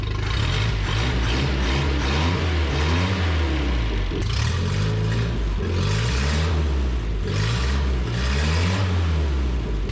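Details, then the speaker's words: 1974 Datsun 620 revived after 45 years parked, carb cleaned and tuned with a delete kit: steady engine with light regular throb and rev blips, running smoothly; alternator not charging and water pump leaking. "Whoever carb swabbed that baby and tuned in that carburetor with the little delete kit must have done a pretty damn good job. She sounds like a ripper."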